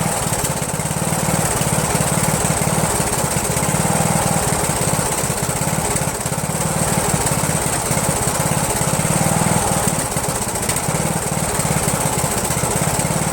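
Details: Yard Machines lawn tractor repowered with rebuilt Briggs 17.5 HP engine (balancer counterweight links replaced), first start on choke: thumps along unevenly with a ragged beat, runs rough and backfires; owner suspects the carburetor.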